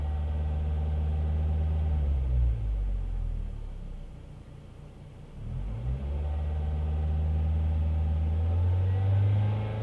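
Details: Ford Fiesta ST 150 engine making a strange churning noise under full load, both in gear and out of gear; deep drone with a rhythmic pulse about four times a second that dips and returns; cause unknown.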